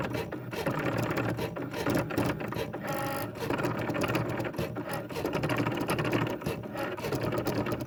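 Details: Running sewing machine with a fast, rough, gear-like ratcheting chatter throughout; something in the drive is clattering, cause unclear.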